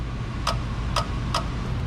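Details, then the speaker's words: LSX-swapped Cadillac Escalade AC compressor being bench-tested with jumper power, clutch harness from factory engine harness: three crisp clicks about half a second apart over a low fan hum as the clutch engages cleanly each time. "if you can hear it over the fan he's down there better when this gets power clutch engages"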